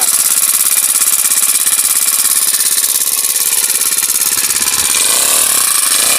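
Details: Honda GX35 grass cutter four-stroke after carburetor cleaning: steady, even beat with a bright high-pitched drone, no stumbling or dying. Spark plug, fuel filter and clutch were fine; the dirty carburetor and fuel passage had caused stalling. Runs properly.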